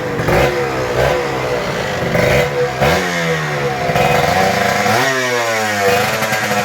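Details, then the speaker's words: Kawasaki Ninja RR 150 two-stroke after service: before, it pulled weakly, stuttered, the KIPS stuck at some rpm and fell slowly, and the throttle hung. The carb throttle slide was sanded smooth. Now revs follow the throttle cleanly with no stumbling or popping. "Oke Guys mantap jadi settingannya udah selesai dan ini yang saya rasakan perbedaannya jauh banget jadi powernya udah enak dan suaranya juga nyaman ya"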